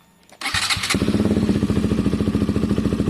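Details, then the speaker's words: KTM 125 motorcycle with newly fitted genuine Black Widow aftermarket exhaust, started and idling: quick, even popping beat with no hiss or ticking from the pipe joints, no gaps; normal exhaust note. "That is just the sound of the pipe, guys. There are no gaps."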